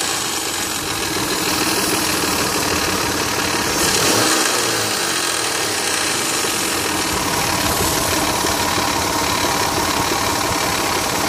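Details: 2001 Mitsubishi Montero Sport 3.0L 4WD automatic, 225,000 miles, cold start idle recorded from engine bay: busy loose clatter, timing belt slapping from a tensioner left disconnected after water pump replacement; goes away when fully warm.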